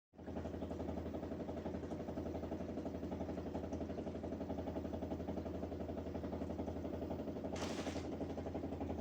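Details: LG dishwasher running with a loud, steady low motor drone and hum, louder than a normal wash; abnormal running noise.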